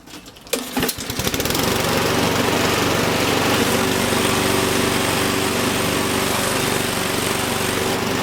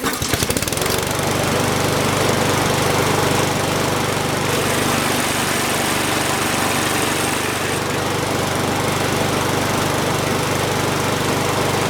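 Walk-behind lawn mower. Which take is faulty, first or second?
first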